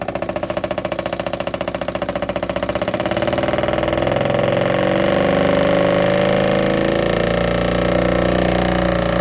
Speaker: so it's a small motor but it's very loud so that'll be perfect in a smaller cab